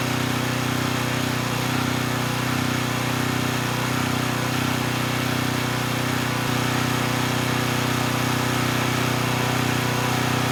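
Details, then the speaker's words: Coleman Powermate Pulse 1850 generator after carburetor repair, governor speed reset to about 62 Hz, powering a space heater slightly above its 1500 W rating. A steady drone holds speed at 114 V with no hunting or surging; normal running under load. "i think we're in pretty good shape the generator is only rated at 1 500 watts and this space heater actually pulls slightly more than that and i was able to maintain voltage of 114 volts so i think we're good there"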